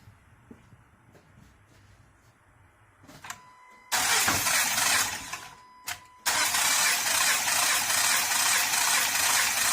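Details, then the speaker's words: 2013 Honda Pilot J35 V6 after timing belt jumped and stalled while driving; cranking spins fast and even with no compression pulses and no firing; bent valves, no compression. Crank no start. "Nope. So it bent valves. It didn't have any compression."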